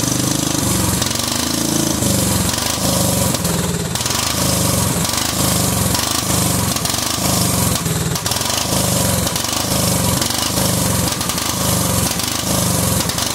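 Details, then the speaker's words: Cub Cadet 2130 lawn tractor, just started: uneven, lumpy running surging and stumbling every second or so; fuel system full of water and rust, owner suspects water in the carb bowl. "I think that's probably why it's running like crap is because I think there's probably water down in the bowl"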